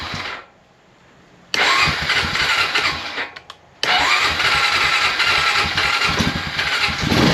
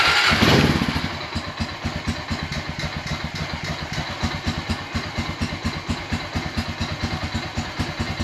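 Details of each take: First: 2001 Honda Rancher 350 ATV with a brand-new unadjusted carburetor: catches and runs briefly, dies, restarts and dies again, won't hold idle; owner adjusts idle screw. An intake valve was later found stuck open. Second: 2001 Honda Rancher 350 ATV after intake valve stuck open fixed and new carburetor fitted, idle screw turned about two turns in: steady even single-cylinder thumping idle, no misses or knocks, running smoothly while smoke burns off.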